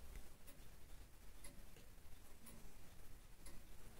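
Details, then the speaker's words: Early 18th century longcase clock after service, steady even tick-tock about once a second in a quiet room, running normally in its case. "lovely looking movement in this case and the customer was pleased to hear the sound of the ticking and the chiming"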